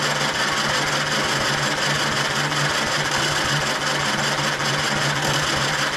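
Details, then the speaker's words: 1935 Austin 7 cranking on a fresh battery charge, full throttle, no choke: fast even starter churn with faint uneven firings that never catch; nearly starting. "did you hear it fired oh man good starter no going to strike you hear it you hear it you hear it it's so close"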